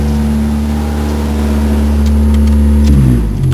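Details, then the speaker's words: Engine started on a ~70°F day, before a temporary exhaust repair: deep, loud, rough rumble swelling with revs then dropping off; exhaust leak makes it far too loud. "Just a quick before and after here. You guys can hear how loud it really is. Just a bit too loud for"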